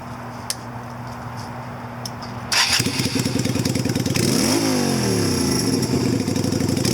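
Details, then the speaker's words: 2000 Yamaha Virago XV250, cold start with a cut slide spring after a diaphragm hole was fixed: three sharp blips, each dropping straight back to a steady idle with no hanging, returning faster than before. "Alright, that was 3 revs with the cut spring in it. But you hear how much faster it goes back to idle now than when it did before?"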